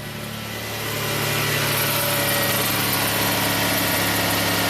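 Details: 2000 Toyota Sienna, 1MZ V6, 540,446 miles on the original drivetrain, burns oil, after an intermittent cylinder 5 misfire (P0305) diagnosis: slight rev, then smooth, steady idle with an even beat and no stumble. Normal idle.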